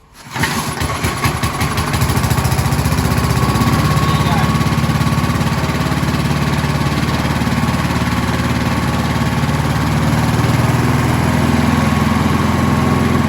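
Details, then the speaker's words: Scott Bonnar mower, Briggs & Stratton Sprint 375 4-stroke, after fitting a different spark plug, couple of primes: catches straight away, revs up, then settles to a steady, even idle putter with no misses; healthy. "Clearly the mower wants to run now. We saw that it just revved up quite nicely. It came back down to a nice idle."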